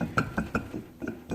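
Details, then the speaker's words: Removed AC compressor with its clutch already gone and connector cut off, turned by hand: gritty clicks and catches from rough, worn bearings, and the compressor is seized and finished. "that seized up it was done you can hear the bearings in it it's done"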